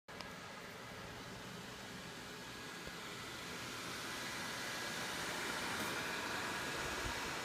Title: ASUS M11AD-US006O DESKTOP Loud fan noise